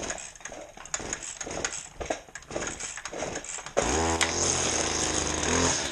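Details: Stihl FS 70 R trimmer, first start in spring after sitting since October, catches after a few choked rope pulls and holds a steady, even two-stroke buzz.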